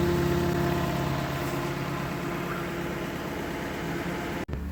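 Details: Lexus LS 460 with the 1UR 4.6L V8, after replacing both leaking high-pressure fuel pump gaskets, no leaks. Smooth, even idle with a steady low hum and no knocks or misses, a brief clunk near the end, healthy.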